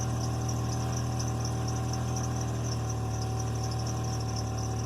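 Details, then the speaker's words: Bostig engine after rough idle (compression 155–160, exhaust leak found): smooth even idle hum, insects in background, after replacing a PCV hose with a 3x3 mm chunk missing; sounds much better. "Oh, that sounds so much better. So I feel a little dumb for not seeing that before,"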